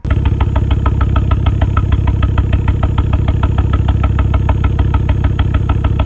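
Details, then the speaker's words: Ford Focus XR5 Turbo spluttering before new coil packs and Bosch RS spark plugs: lumpy idle with a regular stumble in the exhaust beat, about three pulses a second. Misfire. "So, you've just seen my car and the others misfiring."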